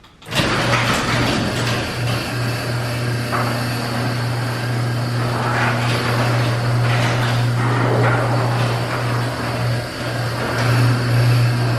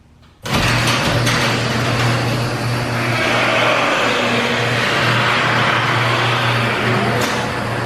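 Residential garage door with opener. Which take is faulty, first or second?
second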